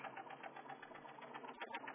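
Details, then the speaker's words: Fast, regular light knock tapping steadily over a muffled idle of a truck that shakes while stationary, with check engine light on; knocking present, source not pinned down. "do you hear the knocking that's not supposed to happen"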